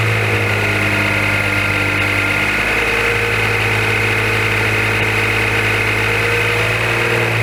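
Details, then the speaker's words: 2014 Maserati Ghibli SQ4, broken after 0-60 runs, idles with a steady low drone and thin constant whine starting a few seconds after startup; noise stops when the dipstick is pulled and returns when reinserted, suggesting crankcase vacuum leak, unconfirmed. "When I pull the dipstick, the sound goes away. This sound goes away. Put it back on, sound comes back."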